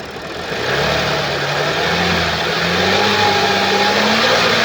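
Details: 2013 Audi S4 B8, 3.0 petrol CGWC engine, 245 kW, 188,866 km: engine catches and climbs to idle with an uneven rattly drone underneath; timing chain has skipped teeth.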